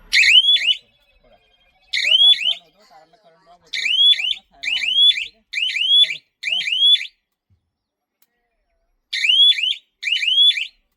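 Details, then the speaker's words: Alpha solar zhatka (electric fence) energizer with machine siren connected, fence wire deliberately shorted to test: short warbling siren bursts, about eight in eleven seconds with silent gaps, signalling current drop on a shorted fence line. "आता बघा Taratala current जेव्हा short होईल तेव्हा साऱ्यांचा आवाज येईल आता आपण तारामध्ये current check करू का पण मी तार शॉर्ट करून बघणार"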